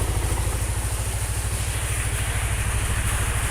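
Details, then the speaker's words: Small engine of about 15 hp, just after draining a mix of Prima XP oil, cooking oil, Schaeffer Moly EP and nano energizer and refilling with Total Hi-Perf 20W50: steady, even low thumping idle with no ticks or knocks, noticeably smoother than before. "tapi yang ini suara mesinnya udah lebih halus"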